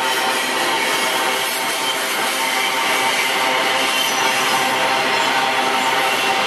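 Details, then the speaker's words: Iron-ore freight train passing Barbará yard, Barra Mansa RJ: a steady hissing, saw-like rasp from the wheels rolling over rails freshly ground by MRS, leaving grooves for better adhesion; this is normal. "Olha só eles possuem estrias e o que permitem uma melhor aderência então por isso esse barulho quer comum aqui na e na malha da MRS na passagem dos trens"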